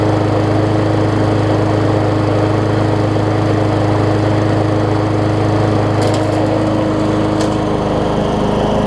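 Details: Murray 20-inch 3.75 hp mulching push mower, long dormant with a stuck-open intake valve that was freed, after an oil change with Seafoam, new air filter, primer bulb and pull rope, and the governor vane freed: steady even single-cylinder drone, no surging, much better rpm.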